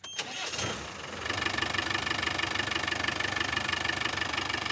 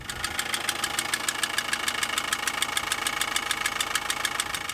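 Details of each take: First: Diesel touring vehicle after repair: two damaged bolts on the fuel injection pump were replaced and threadlocked, curing a front-of-engine knock that changed with acceleration. It cranks briefly, then settles into an even idle with steady firing pulses and no knock. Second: Vehicle on an outback trip: a sharp, even ticking knock of about 200 per minute over idle, in time with the engine, not from the alternator or water pump; caused by damaged fuel injection pump mounting bolts.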